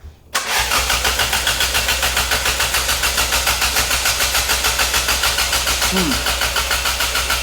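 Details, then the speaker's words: Turbocharged 1991 Toyota Corolla with cold start injector and wideband; stopped running during teardown. Even starter cranking for about seven seconds, never firing: crank no start. "The car was running when we got it and then at one point when things were being ripped out of it by multiple people, it stopped running."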